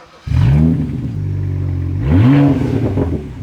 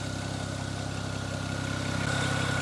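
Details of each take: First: Rebuilt N54 engine in fire-damaged BMW 335i E92, running well after reconnecting exhaust manifold flap vacuum line: sharp revs with crackling exhaust pops and bangs off throttle; likely needs removal to pass inspection. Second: BMW 335i E92 N54 after fire-damage engine rebuild and reinstall: smooth steady idle, even pulse, no stumble or miss; earlier bad misfire-like running was caused by an unplugged vacuum line to the exhaust manifold flap, now reconnected; normal idle.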